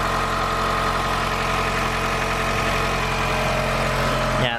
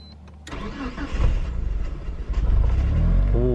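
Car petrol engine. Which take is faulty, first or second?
second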